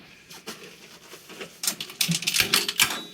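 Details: Coin clinks, then a short burst of sharp solenoid clacks as nickels vend in a 1957 Cavalier CS-96 Coca-Cola machine's serviced NRI Simplex 2 coin mechanism; it cycles cleanly and vends normally.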